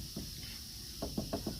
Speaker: And of course that's going to rattle and make noise in the car when the client's driving it.